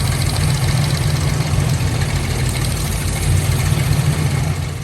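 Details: 1997 Lincoln Town Car V8 idles with an uneven, lumpy low rumble, missing on two cylinders; plugs later found wet and non-firing, tune-up planned.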